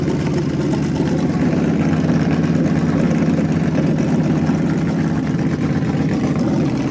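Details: Freshly rebuilt small block Chevy 350 for an OBS Chevy truck, on a homemade run stand with headers and hot water in the cooling system: deep, even, throaty rumble, steady lopey beat, no knocks or ticks; runs healthy and strong.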